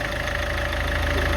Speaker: зараз заведемо послухайте Як працює мотор Мотор працює рівно ніяких лишніх звуків немає